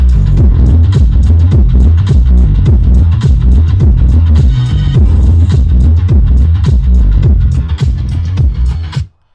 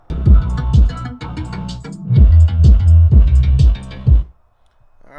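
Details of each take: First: 2014 Mazda6 Grand Touring driver's-side front door Bose speaker after regluing its separated cone with CA glue: bass-heavy music plays cleanly, no rattle or buzz on low notes. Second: 2014 Mazda 6 Grand Touring driver's-side front door Bose speaker playing bass-heavy music buzzes and rattles on each low beat, blown from cone separation; to be repaired with CA glue and super glue gel.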